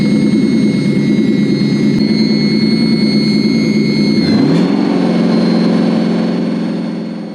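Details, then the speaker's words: Toyota UZ Lexus V8 rewired to Link Monsoon ECU: steady even idle with smooth beat and no misses or knocks; now runs like it should. "Sounds good though. Yeah. Vroom vroom. It now runs like it should."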